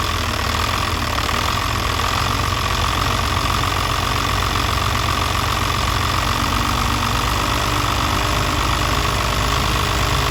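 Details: Diesel with a VE injection pump fuel leak: uneven, lumpy idle with some knocking under a steady clatter; rough idle, cause suspected, not confirmed.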